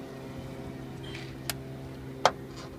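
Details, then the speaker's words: Jeep Cherokee XJ door after the repair, with a junkyard check housing fitted, pin cleaned and white lithium grease applied: the swing is mostly quiet, one faint tick then a sharper single pop, because the original check's pin hole is still loose. "can hear it still does it a little bit. Now the reason for that is because I didn't replace the check itself."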